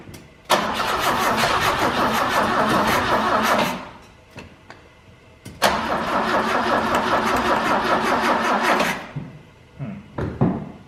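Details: 1968 BMW 1602 (2002) sitting 10+ years, first start attempt with a tiny carburetor spraying fuel and ether used: two long bursts of steady cranking, about three turns a second, never firing. Cranks but won't start; cause not found.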